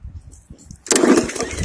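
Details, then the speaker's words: Hyper Tough lawn mower, freshly fueled, with oil cap and spark plug checked: after quiet pulls it catches with a rough, sputtering burst but won't stay running; possibly flooded, cause not confirmed. "Sounds the same. I hear it igniting. It's just not want to keep going. It doesn't want to run."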